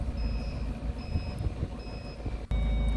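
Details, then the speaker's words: Halfords 4-bike tow-bar rack wired to the car's tow bar electrics: short high beeps about every 0.8 s with the indicator, then a steady tone in reverse; intentional audible warning working normally. "there's your reverse which is a solid light and it's kind of that you can hear it's an audible sound inside that's actually made to do this on purpose so you know"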